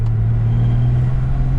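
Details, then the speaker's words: Nissan GU Patrol with swapped TD42 diesel, cruising at 60 km/h after the rebuild. Deep steady drone with a constant low note and no knocks or surges, smooth under light load. "That's 60k an hour. And she cruises along really nice. It'll do this all day, every day."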